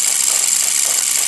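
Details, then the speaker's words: Brushless motor sensing test with card disc and reed switches: high thin continuous hiss with a fast fluttering scrape as the spinning card disc rubs the reed switches, which must sit very close to switch. "that's cool that it's it's just rubbing a bit because what happens is that I have to put them quite close the the actual re get you can see they're only just above it so they're actually cing the disc"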